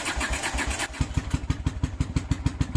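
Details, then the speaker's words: Honda GL500 cafe bike started cold on choke after six months in storage: it cranks, catches on one cylinder with uneven pops, then the second cylinder joins and the choke comes off. It settles into a steady, even twin idle and starts fine. "One cylinder and here comes the other one. There we go. Off the choke."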